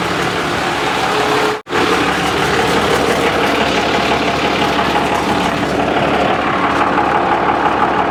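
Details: Junkyard 1995 Dodge Cummins 12-valve P-pump diesel, just revived after sitting: steady even diesel idle clatter, no stumbling or knocking, normal idle, charging 14 volts though leaking fuel and transmission fluid.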